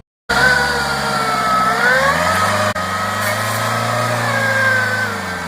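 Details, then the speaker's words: Ford Fiesta engine running with a wavering high whine over the hum from a failed AC compressor pulley bearing. "இந்த வண்டில பாத்தீங்கன்னா AC கம்பர்ஸ் வோட bearing போயிருக்கு இந்த bearing கிடைக்கு engine noise பாருங்க எப்படி கேட்டுருக்குன்னு"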